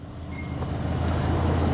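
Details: 1973 Buick Centurion convertible, Oldsmobile 350 V8, 75,602 miles, crashed, jump-started after pumping the carburetor, cooling system compromised: low, even rumble catching and settling into steady idle; normal idle.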